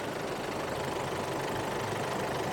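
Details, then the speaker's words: 2007 Chevrolet Colorado 2.5 LS diesel, about 764,000 km, stock engine, EGR never blocked: quiet, steady idle with soft smooth clatter, no knocks or misses; no blow-by at dipstick; normal idle. "นี้ผมสตาร์ทเครื่องอยู่นะครับนี่เครื่องเงียบจิ๊บเลยครับ"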